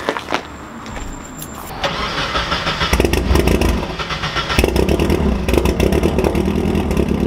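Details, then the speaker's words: 1999-05 NB Mazda Miata after a valve lash adjustment by reshimming the head: brief crank, catches at once and settles into an even, steady idle, much smoother than before; normal start and idle. "that's how it's supposed to sound alright guys well that's all I got for you on how to re shimmy or Miatas head as you can see the car fired right up and runs much smoother than before"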